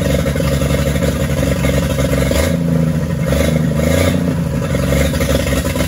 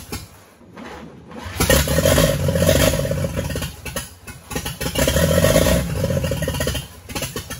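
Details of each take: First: 1942 Chevrolet G506 truck engine after revival, first run in place on 12-volt power: steady fast idle held high on choke (won't idle without it, idle won't come down, mixture screw no effect), swelling with blips; healthy, no knocking. Water pump weeping. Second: 1942 Chevrolet G506 truck firing for the first time during its revival, fed fuel from a squirt bottle on its 6-volt setup: the engine catches in uneven, stumbling bursts and barely keeps running, a rough start. The cause is not yet known.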